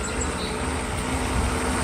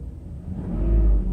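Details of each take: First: Mercedes SL600 V12 with an overhauled throttle body for an ASR fault, warmed up a little: a low idle that lumps and wavers and makes the engine rock. Blamed on known intake vacuum leaks, unrelated to the throttle. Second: Mercedes SL600 V12 with an overhauled throttle body for an ASR fault: pressing the pedal about an inch lifts the deep rumble smoothly and it settles back without hesitation, a normal throttle response.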